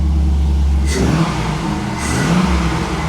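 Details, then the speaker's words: Chevy SSR V8 after diagnosing the internal engine noise, engine bay: deep, even note climbing and falling cleanly through two quick revs with no knocks or ticks; the earlier noise is gone and the engine runs healthy. "just an engine it's just breathing that's it just breathing listen this exhaust that sounds good but it needs it needs to be a a lot louder"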